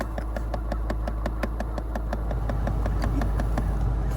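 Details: Dodge Journey idling, rapid steady clicking from behind the dash (glovebox side) when HVAC is used: failing blend door actuator, fixed by replacing the actuator.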